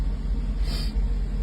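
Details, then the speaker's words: 1984 Mercedes 380SL after its 40-year-old ECU was replaced with a new-old-stock unit to fix rough idle and black smoke: a deep, even idle with no misses or shaking; the seat vibration felt before the repair is gone and it sounds normal. "but she sounds normal now this is what this car is supposed to sound like she's idling correctly I don't feel vibration from the seat like I was"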